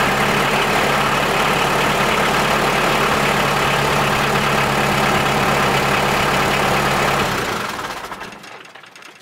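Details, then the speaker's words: LS XR4040 tractor diesel after purging water from the fuel system and hand-priming: starts and holds a steady, even idle clatter before shutting down cleanly; runs normally, no misfire. "so it starts. I'm assuming that's all set."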